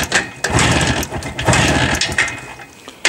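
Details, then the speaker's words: Jawa two-stroke motorcycle just started on battery and choke, still firing on only one spark plug: ragged popping beat with uneven surges and gaps. Misfiring, running on one cylinder. "все еще имея на 1 свечке завелась ну вы слышали звук"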